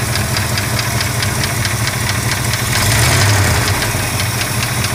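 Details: Warm 1965 Chrysler 413 V8 at idle: a light, sharp tick repeating nearly four times a second over a steady idle; owner suspects lifter tick, not confirmed.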